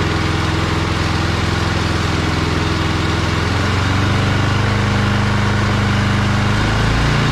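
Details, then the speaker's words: John Deere snowblower with a Briggs & Stratton Snow Series engine, after warm-up with a new HIPA carburetor replacing one that sputtered rich at full throttle: a steady single-cylinder chug rising cleanly to a smooth full-throttle note. Normal running. "runs okay so our test run was good"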